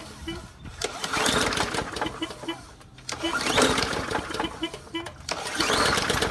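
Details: Bolens MTD 450e series 125cc push mower, given away free, after carburetor clean, new spark plug, oil change and fresh fuel: small single-cylinder runs steadily outdoors, note rising and falling with load, no knocks or misses; running fine.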